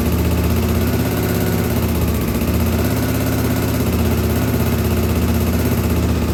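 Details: 1983 Honda XL600R after top-end rebuild (1mm overbore, Wiseco 11:1, Megacycle stage one cam, heavy-duty springs), warm restart after running; customer previously had no hot restart: fires straight up, settles to an even thump, picks up cleanly on a blip; normal.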